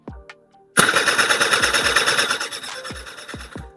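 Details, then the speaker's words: Honda Pop with original carburettor, long parked: about three seconds of even starter clatter with no firing and no fuel from the pulled fuel hose; pump suspected. "อีกรอบเงียบน้ำมันไม่มาครับผมแสดงว่าปั๊มน้ำมันอาจจะมีปัญหา"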